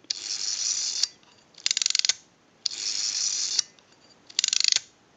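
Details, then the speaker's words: AE candlestick telephone rotary dial with the governor installed and contacts not yet fitted: crisp rapid ratcheting clicks on each wind-up, then an even governed return. The ratchet works properly; no ratchet sound would mean a missing or misinstalled key or a bad spring. "working properly if you do not hear that ratcheting noise when working on a dial like this that means that the key is missing or it's installed improperly or the spring is bad you have to hear that ratcheting noise when it's working properly"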